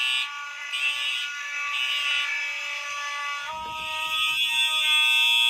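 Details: Fire alarm horn during a Simplex system test with many devices connected: harsh steady buzz that thins and wavers, weaker than normal; suspected loading from too many devices, not confirmed.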